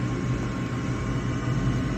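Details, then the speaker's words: Gas furnace during its heating sequence, where a flame sensor was the eventual fault: inducer motor spins up to a steady low hum with no scraping, ticking or wobble; normal inducer startup. "here goes our inducer fan here inducer motor vent motor whatever you want to call"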